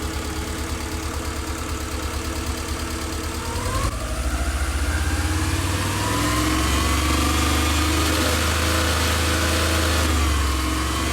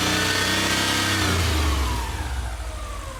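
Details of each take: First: Subaru EJ22 boxer engine, first start after reinstalling it, revved in neutral. A fast metallic rattle grows louder with rpm because the exhaust heat shield, wedged by bolts with play, shakes at higher rpm. Earlier it was feared to be the timing belt rollers. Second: Rebuilt Subaru EJ22 boxer engine after reinstall, revving up and falling back smoothly with no metallic rattle; the ticking heard at first start-up is resolved.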